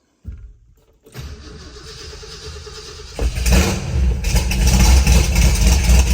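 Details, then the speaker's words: 1968 Ford F250 with a rebuilt 390 V8, sat over a year and a half: uneven cranking drags for a couple of seconds, the battery struggling, before the engine stumbles to life and revs roughly. Owner unsure whether it needs choke or is flooded. Hard start. "she is rowdy that battery's not liking it does she want to be choked or do we think we're flooded"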